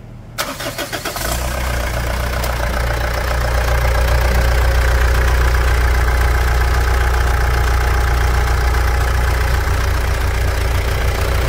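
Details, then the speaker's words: Mitsubishi Pajero Dakar 3.2 diesel, first start after valve adjustment, new timing chain tensor and system bleeding: cranks, catches quickly, settles into even steady idle with no knocks or rattles; engine running well after repair. "T dizendo o seguinte após a regulagem de válvulas e o tensor da corrente novo o motor tá numa MZ de funcionamento vai"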